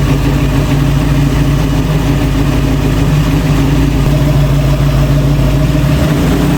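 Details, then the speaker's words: 1966 Ford Bronco after full restoration, first start with the engine behind a transmission (previously only run on a stand): steady, even V8 idle with smooth low rumble, no knocks or misses; normal idle. "I'm surprised it idled, kind of. That's the first time it's been behind a transmission."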